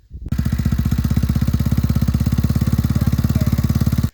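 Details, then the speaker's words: Yamaha Warrior 350 single before repair: sharp, even ticking about three to four per second over the idle thump from the head. Intake valve adjuster bolt was missing, later found in the exhaust side. "so yeah the tick was real like i said that's why i was gonna adjust the valves and found out it was way worse than it was"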